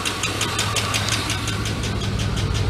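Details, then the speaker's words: GMT 400 truck after long cranking on bad old gasoline: sharp fast tick about six per second over rough idle with a miss; owner calls it lifter noise, oil clean, oil pressure okay, later found worn #3 intake cam lobe/lifter. "i think i blow up my engine that's awesome all right now i gotta buy an engine now the lifter dude this is a lifter noise the oil is super clean"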